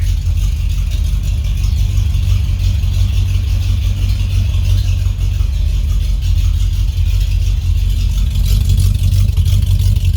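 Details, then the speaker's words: 1978 Ford F-150 idling after warm-up with new exhaust but no tailpipes yet fitted. Loud, deep, steady rumble with even firing and no ticking under the hood. Normal idle through open exhaust, possibly too loud. "Hey, listen to that. No ticking up here. How good is that? Well, it sounds really good under the hood. Might be loud. Maybe too loud."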